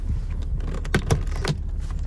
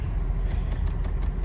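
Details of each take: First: 2006 Honda Odyssey EX-L after replacing the master window switch with an aftermarket unit: the driver window auto down/up, passenger and rear windows hum smoothly and stop cleanly. Windows are working normally. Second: 2006 Honda Odyssey EX-L, engine running: faint quick ticking, about seven a second, in each door as the passenger and rear windows fail to move, though the driver window works; failed master window switch, suspected bad circuit trace.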